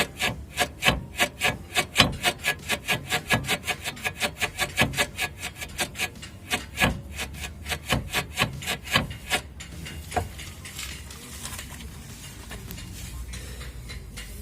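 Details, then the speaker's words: Front suspension control arm bushing worked on the bench: rapid rubbery creak about four strokes a second from a torn bushing. "у меня потом оно такое с обеих сторон такой ужасный скрип то есть он и держится на грива это ужасный скрип"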